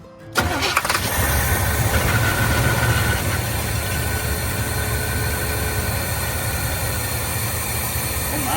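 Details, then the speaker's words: 1972 Chevy C10 402 big block, flood survivor unrun about 30 years, after carb inlet filter work; starts on its own, deep uneven note that gradually sags: won't hold idle, fuel or idle circuit cause suspected, not confirmed. "Um, starts up on its own as you saw, but it doesn't stay idling."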